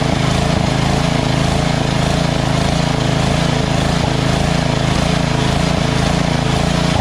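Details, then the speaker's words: Small single-cylinder lawn tractor engine after the surging carb was replaced with a Chinese-copy Nikki 590399 on an O-ring manifold with backward 90-degree fuel nozzle: even, steady idle, no hunting or surging; runs smooth. "got that uh carburetor running well and it doesn't surge right and um because of that uh fuel nozzle with a 90 degree backwards that always fix the problem so now that engine doesn't surge"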